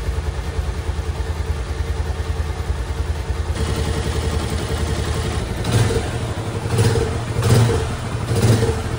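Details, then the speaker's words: Loncin Pro 200cc single-cylinder Chinese motorcycle after repair of engine knock, oil burning and smoking: new cylinder, piston, rings, pin, gaskets and air filter fitted; even idle and clean throttle blips with no knock or rattle, engine sounds healthy. "Ну Якось так. З моторчиком ми розібрались успішно, все чітко, гарно, красиво."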